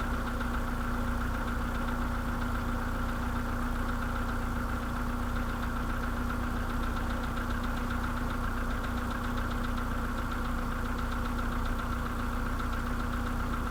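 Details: Idle on a 2013 VW Polo sedan with the CFNA engine at 192,000 km: a dull, fast rhythmic knock riding over the engine note. Piston slap.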